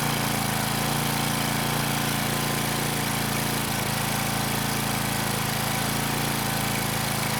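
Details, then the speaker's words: Craftsman 2500 W generator, Tecumseh OHV OHH60-71116C engine, carb primed manually because fuel most likely isn't reaching the rusty bowl: starts first pull, steady single-cylinder beat near four per second, then starts to die. "I can't believe it. But this machine, it's trying to live. It started the first pull."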